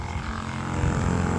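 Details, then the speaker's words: Sprayer pump switched on with the tank a quarter to a third full of water, testing whether it can draw: low, steady motor drone that firms up slightly as it picks up water; even, healthy run, no knocking. "Oh yeah, look at that. You can hear it. She's working."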